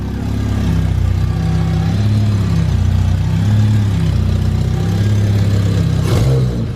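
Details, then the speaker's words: K20 engine swap on its first runs, with a makeshift exhaust and an O2 sensor bung left unplugged and open. Loud, raw exhaust drone and sharp puffing that swell as the revs climb. Exhaust leak at the open sensor port. "Oh, that is the exhaust leak. There's a hole. Oh, I forgot there's a hole right there."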